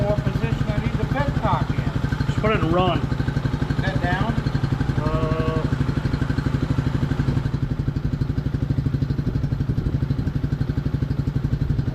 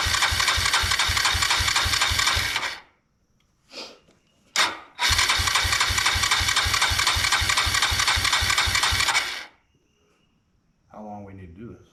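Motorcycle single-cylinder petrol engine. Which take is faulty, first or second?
second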